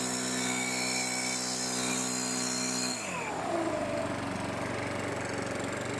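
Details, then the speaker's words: STIHL BR600 two-stroke leaf blower after carburetor and fuel line replacement, carburetor adjusted, primer ball still not priming properly: high steady drone at full speed, then a drop to a smooth even settle; healthy, normal running. "I'm going to put a new one in it, but she's on and running. Carburetor's adjusted. Sounds good."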